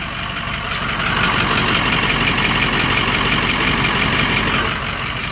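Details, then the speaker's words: 6.0 diesel truck, quick even sewing-machine-like tapping near three per second over loud idle, heard best from a distance; owner suspects an injector, additive added, cause not confirmed. "it's making this strange knocking noise um I think it's an injector"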